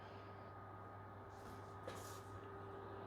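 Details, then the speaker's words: PS5 Pro (CFI 70, first revision) cooling fan sped up with a fan speed accelerator set to +10%, about 38% duty cycle and roughly 1,240–1,250 RPM in game; steady whirring hum with no rattle or grinding, louder but cooling better. "and now this is the noise I think a lot of you guys here because some Delta fans they're spinning faster but if you have higher RPMs you should also have better cooling"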